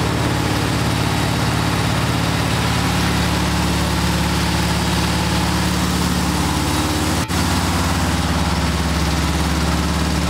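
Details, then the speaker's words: Air-cooled 36 hp VW engine built from scrap parts, with a 150-amp alternator and inverter fitted, at raised idle supplying over a kilowatt: firm, even high idle, steady low rumble, no misses; holds high idle fine under alternator load. "so there you have it we just ran over a kilowatt of power off of this engine using only the onboard alternator that I installed and the inverter"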